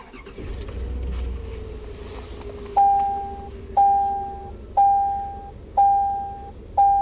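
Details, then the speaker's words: Chevy 3500 dually truck after battery replacement and throttle body cleaning: quick start settling into a quiet, even idle around 640 rpm under a once-per-second chime; normal start, fix confirmed. "640 RPM. So now that's a fix. Battery replacement and throttle body cleaning."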